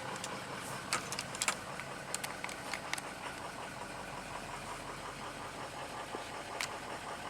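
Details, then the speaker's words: Ford 6.0 Powerstroke diesel after oil cooler work, low on power: idling unevenly with a loping beat and irregular clatters, blowing smoke; cylinder 5 dead at 150 psi compression vs about 390 on 1 and 3; injector also questioned. "five number five is dead could it be an injector i don't know"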